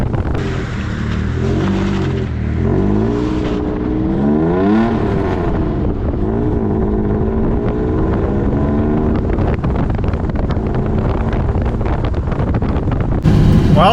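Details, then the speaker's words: Toyota pickup with swapped 3.4L engine, new ECU, first drive after rebuild, hubs unlocked and transfer case in two-wheel drive: steady engine drone rising and falling with road speed, brakes audible, no rubbing or binding noise; earlier noise suspected in four-wheel-drive components. "well nothing really sounds or feels abnormal i can hear the brakes but that's about it"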